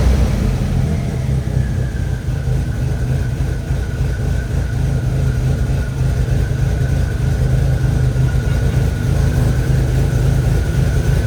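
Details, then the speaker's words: VW 1.8T at first start, running deep, uneven and lumpy, like it is misfiring, with a cam position sensor code. "weird almost like it's like misfiring a little bit"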